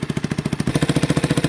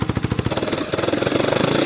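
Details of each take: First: 1989 Yamaha Big Bear 350 single-cylinder ATV, revived after sitting 10+ years, warming up after a cold start: even, steady idle thump with no knocking; possible exhaust leak suspected; it backfires on throttle. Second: 1989 Yamaha Big Bear 350 single cylinder that sat 10+ years: it chugs unevenly and won't rev, but partly covering the air intake lets it rev out more; it is getting too much air, running lean, so the carburetor is suspected and may need a rebuild kit.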